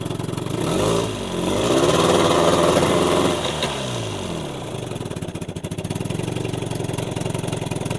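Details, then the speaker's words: Old Evinrude 20hp two-stroke tiller outboard, just revived after cleaning, running in forward gear: it picks up briefly, then settles into an even, quick putter under load. Sounds smooth and healthy. "Forward. Sounds good."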